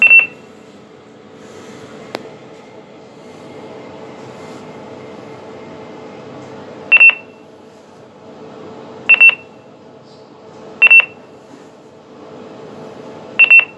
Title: Kone Ecodisc North Lift at the Inverness Royal Academy in Inverness (Beeping)